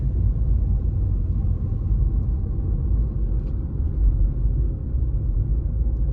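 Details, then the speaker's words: Tata Altroz cabin while driving, after a rubber piece was fitted at a loosened lever to cure a cricket-like rattle from the left corner; only a steady low road rumble with no clicks or ticks, so the cabin is quiet with no rattle. "Rubber फल को उसे करने के बाद आप यह raw footage देख सकते हो इसमें आपको मेरी कर की नॉइस बिल्कुल भी पता नहीं चलेगा"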